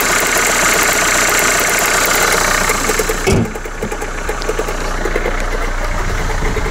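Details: Renault Kangoo, 343 thousand km, morning cold start: loud quick uneven clattering rattle over idle that then drops away; suspected alternator overrunning pulley clutch, not confirmed.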